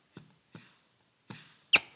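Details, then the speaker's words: Mercedes 722.6 (Chrysler NAG1) transmission overhaul, K3 clutch air check through the input shaft: four short, sharp air hisses of leakage, likely past the plastic sealing rings; O-ring replacement considered. "i can air check this k3 clutch just by putting my finger on the back of the input shaft hole there and notice how you can hear some of that leakage"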